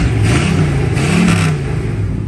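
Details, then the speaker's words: Restored 1960 Chevrolet Bel Air, rebuilt 348ci V8, 4bbl carburetor, upgraded ignition, automatic, 7,163 miles shown, revving: deep, strong V8 rumble pulling cleanly and easing back, no misfire or tapping; healthy. "great sound favorite part if I could get it to focus there we go live"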